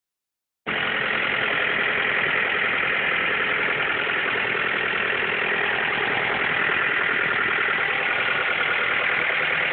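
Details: Mazda 3 2.3 petrol engine idling right after an engine rebuild with a new head, steady busy clattery mid-range noise of unclear cause; owner asks what it is.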